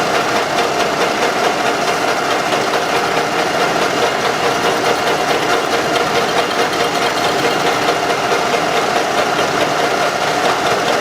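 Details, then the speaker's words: Running engine with a history of rare or poor-quality oil changes and heavy blow-by deposits; owners reported a strong knock. Light steady tapping over idle from camshaft axial end play, which disappears when the cam is pressed with a hammer handle. "сейчас проверяем осевое смещение распредвала он тоже бывает стигма так стучит звука этот мы уже знаем как определить"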